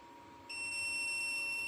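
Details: Jackery Explorer 1000 V2 at 44% charge: a single steady high beep as the inverter switches on, the normal power-up tone with no fault. The BougeRV portable AC is still off.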